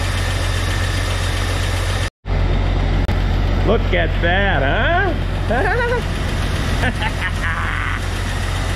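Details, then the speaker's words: 1999 Jeep Cherokee with a junkyard 4.0L inline-six replacing the noisy factory engine, first run after the swap: even, low idle rumble with no knocks, misses or surges after one short cutout, and no check engine lights. Normal idle. "sounds like it's running pretty smooth they don't have any check engine lights on"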